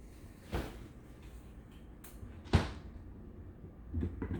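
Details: Direct-drive automatic SL-D3 record player making a few dull, hollow knocks at uneven intervals in a quiet room; cause unknown.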